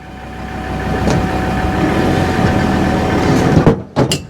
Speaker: there you go so that's gone in even if it was a little bit out that's slid in will that lock off Dave there you go that's locked off